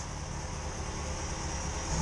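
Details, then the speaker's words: 2005 Yamaha FZ6 inline-four, warm idle after annual tune-up (oil, filters, plugs, coolant, new gas) following two years unrun; steady smooth idle picking up slightly at end, runs clean and even, no issues. "Yep, she's warm. She sounds good. No issues."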